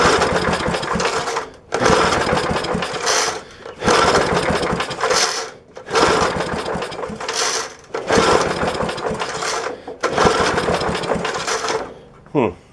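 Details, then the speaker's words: 1966 Briggs & Stratton lawnmower engine with point ignition, probably unrun for 15 to 20 years or more, fuel poured into the carburetor. It runs in short rough surging bursts, then stops dead from lost spark. The likely cause is dirty breaker points, to be cleaned again. "looks like we've lost spark again yeah nothing on the spark plug"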